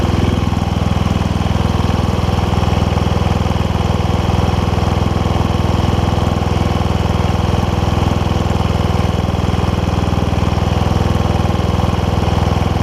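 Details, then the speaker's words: Toro Wheel Horse 1232XL hauler tractor, 12.5hp Briggs single, Hipa carb kit fitted: steady fast thumping that never settles to slow idle, blamed on a messed-up throttle linkage; idle screw turned with a flathead to lower idle. "uh throttle a little bit uh messed up on this so that's kind of why we're having an issue with the with white not doesn't want to idle down"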